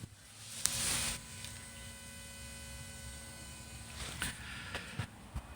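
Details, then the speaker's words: 2015 Ford F-250 diesel after fuel filter change, engine off, key on, glow plug light on: faint steady electric hum for about three seconds as the fuel pump primes normally. "You're going to put your key in, turn the key on. You're going to see the lights light up, of course, so your glow plug come on, and you're going to listen for the pump in there, and you can hear"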